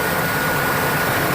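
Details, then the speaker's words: Ford F-250 fresh engine just after its first startup following installation, thermostat not yet open: steady, even idle with a smooth low rumble and no knocks or misses; called the smoothest fresh engine startup ever seen. "But everything's looking good. Boy, that is the smoothest fresh engine startup I've ever seen."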